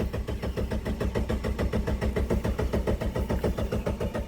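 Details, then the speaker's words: 1999 Mitsubishi Pajero Pinin (iO) 4x4, after adding 13 L of fuel: even starter cranking at about two compression beats a second that never catches; no fuel pump priming heard at key-on, high pressure fuel pump suspected dead, so no start. "I actually bought a fuel pump for this car because I don't hear the fuel pump priming when I turn the key on normally you know there's like a me but I hear nothing"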